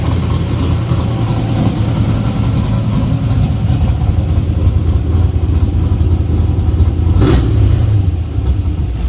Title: LS454 Rough Idle